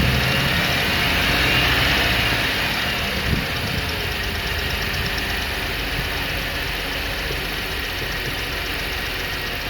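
Steady idle with a fairly even light tick, close to four a second, riding over the engine hum; possibly lifter tick, not confirmed.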